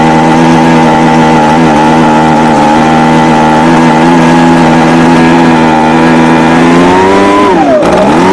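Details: Echo ES250 (PB250-type) handheld blower two-stroke after primer bulb and throttle repair: steady high buzz for several seconds, drops off smoothly as throttle released; runs clean, normal.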